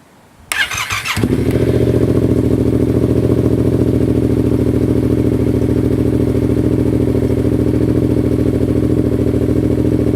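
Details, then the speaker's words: Yamaha FZ-07 after replacing stock clutch lever, perch and switch with a CRG perch: in first gear with the clutch pulled in, a short starter crank catches at once into a steady, even twin-cylinder idle. Clutch switch works; normal start. "So that means this modification is good. Now if I pull this in, I should be able to start it."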